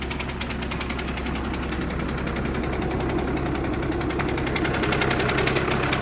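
At idle there is a fast, fairly regular rattling buzz over the engine hum, which points to clutch plate or bearing vibration in the DSG.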